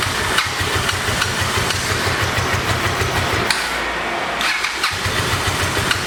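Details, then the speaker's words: 1986 Honda VT500 Shadow V-twin, revived after years sitting, idling while warming up: uneven loping idle with stumbling beat and missing pulses; rear cylinder still not firing, owner suspects ignition coil or mice-eaten coil wire, checking spark with plug. "so let's get a plug and see if this coil is even working because for some reason that cylinder is still not here"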